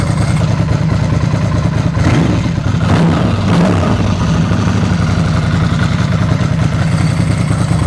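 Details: Ducati with dry clutch at stone-cold idle on choke, short blip, clutch lever pulled in: dry clutch very quiet, no chatter or rattle; normal.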